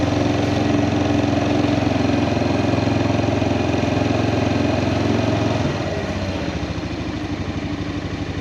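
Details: Kawasaki Prairie 400 ATV after engine rebuild, riding test: firm, regular single-cylinder thump under load, then a clean drop to lower revs, no knocks or misfires; runs fantastic, float still needs adjusting.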